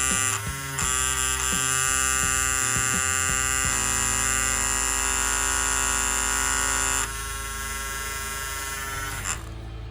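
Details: Andis Cordless Master hair clipper, reassembled without suspected internal part: loud harsh high buzz with rattly edge easing slightly; excessive vibration, quiet without blade, blade tension suspected, cause unknown.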